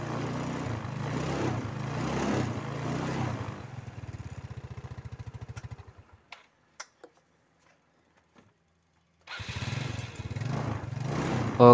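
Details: Motorcycle with a recurring battery-drain complaint, warmed up 1–2 minutes before testing the starter: engine runs, dies away, then the starter spins it briefly and it catches at once into an even idle; starting is healthy.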